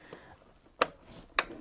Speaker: as soon as you push in you're going to hear the clicking sound which means means these tabs the left tab and the right tab they are snapped in and they are grabbing your memory modules